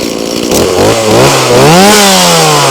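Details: Stihl MS180C (easy-start) chainsaw brought in as a no-start, now screaming through clean throttle blips and settling to a steady high buzz while checked for oiling, dripping bar oil; runs smoothly and healthily.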